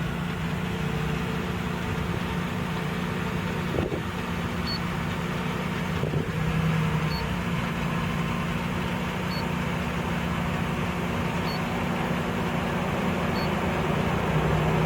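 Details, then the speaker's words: 2005 Ford Explorer with 14 stored codes including P0190: rough, lumpy idle barely holding about 600 rpm, wavering and stumbling; dark gunk in the throttle body keeps the throttle plate from closing fully. "14 codes. It's running rough. It's barely wanting to idle. You see the RPMs barely at 600."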